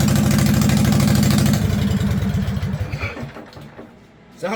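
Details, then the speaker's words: Homemade pull-behind brush mower built in 2023 from an old Craftsman riding mower with a 50" deck. Loud, rough, uneven popping exhaust at about three beats a second, then dying away. It runs slightly choked with no muffler fitted yet. "like a derby mower right now, but there's a muffler over there. You know, I'll get it put on sooner or later."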